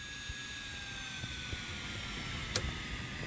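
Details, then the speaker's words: HP laser printer polygon mirror motor with M63151FP controller, started at about 13.6 V drawing 167 mA: thin high whine sagging in pitch as supply voltage is lowered; current falls to about 5 mA and the mirror stops. "you can see the current it's down to about 5 milliamps it's down to nothing and you can see the mirrors starting stopping"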